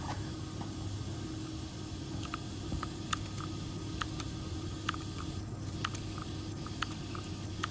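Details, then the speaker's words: Mitsubishi Electric City Multi VRF system: a steady airy hiss with faint ticks from refrigerant escaping at a leaking indoor suction flare, now far worse than when first found months earlier; a coil leak was also found. "oh yeah so that leak is 100 times worse than when I first found it"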